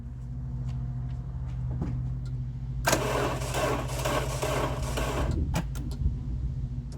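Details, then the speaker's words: 1989 Chrysler LeBaron GTC, 2.2L Turbo II, 5-speed Getrag, sitting since 2006: starter turns over slowly and laboriously with a dragging rhythm and never catches; slow cranking, battery suspected too low. "Looks like the battery's too low."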